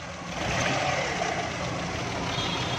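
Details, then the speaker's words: Daihatsu Charade 1000cc on CNG that cranked long and started late, after the faulty valve was replaced; small engine catches and settles into an even, steady idle with no misses, knocks or hunting; starts properly now, gas setting next. "देखें दोस्तों, गाड़ी हमारी बिल्कुल एकदम सही स्टार्ट हो"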